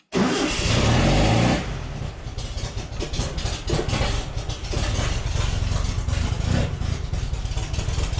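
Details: VW Baja Bug that quit running, during fuel-system work, with choke pulled and accelerator pumped: starter cranks at a steady rhythm but the engine never catches; crank no start.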